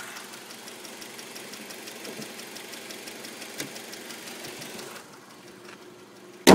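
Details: 2003 Acura RSX petrol engine idling with a quick, even ticking; valves already adjusted, cause still unknown.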